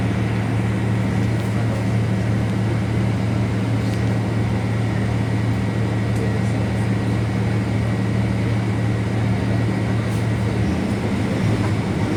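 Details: Caio Apache Vip 4th-generation city bus on Mercedes-Benz 1724L chassis, heard inside the cabin while running the route: loud steady low drone and growl with a constant tone on top. Differential described as roaring very loudly; differential whine.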